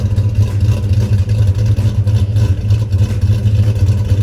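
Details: Swapped-in 6.2 V8 in a crew cab truck, two years after install, oil pressure over 40 psi, new battery, one clamp missing its nut: deep, even idle with a steady low burble and no knocks or misfires; engine healthy.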